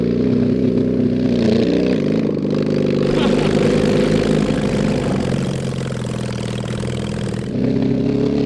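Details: Mid-70s Honda CB750 SOHC 750cc engine swapped into a 1980s Suzuki Quad Sport 230, riding: uneven, lumpy note that wavers and stumbles; rough running, likely carburetor problems, no real exhaust, worn points ignition.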